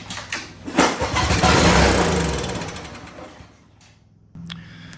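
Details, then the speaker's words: Honda GCV160/GCV190 pressure washer engine, long unused and non-starting, air filter removed and starting fluid sprayed into carb intake: catches, roars a couple of seconds, then dies; fuel delivery fault. "So, as you can tell, we do have a fuel delivery issue. It ran on the starter fluid and then it died immediately."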